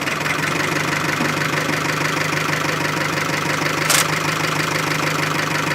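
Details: Chevy Aveo, about 100,000 km, oil drained, re-fired after stalling without touching the gas: rough idle with uneven knock about three times a second; oil-starved bottom end knocking before stalling again.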